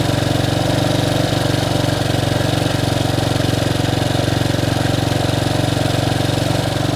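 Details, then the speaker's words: Bombardier Traxter 500 ATV single-cylinder, after a carburetor clean and rebuild, warmed up with the electric fan kicking on and choke fully in: steady even putter at a slightly fast idle, about four beats a second, no misses or knocks. "when I walk around all you'll hear is a motor the choke is all the way in running as it should"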